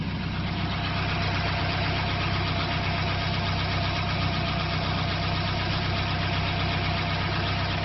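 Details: Ford Pinto engine kit car with a Weber 32/36 DGAV carburettor, after the fuel return line was corrected: a steady, even idle with a smooth low beat of about four pulses a second and no misses or knocks. Normal idle.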